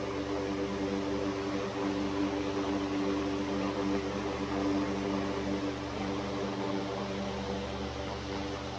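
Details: 100-plus-year-old Century S-3 Model 15 skeletal frame desk fan, restored, on low speed with oscillator newly working after gear repair: even motor hum with faint slow oscillator rhythm; normal running.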